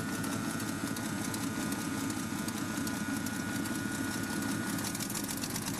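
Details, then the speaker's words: REO M-35 truck, very cold start recorded on a Google Pixel 2 XL phone: engine chugs under a little held throttle with fairly even firing and steady clatter, slight trouble idling; normal while warming up. "Now you'll notice that it was having a little trouble idling, but as long as you kept a little bit of throttle to let it warm up, but that's normal."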